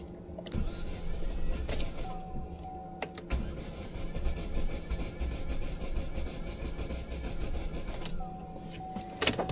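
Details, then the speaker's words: Chevrolet Orlando 1.8 F18D with replacement engine fitted a year ago, hard starting and knocking, code P0011 intake cam over-advanced: starter cranks steadily for seconds but never fires; cam timing found off by a tooth. "Okay, now it seems it doesn't even want to start at all."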